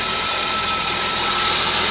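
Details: 1998 Volvo V90 at idle: thin steady high-pitched screech over loud hissing engine, from the back, first metal-on-metal, changed after topping up low oil; suspected cam or valve, unconfirmed.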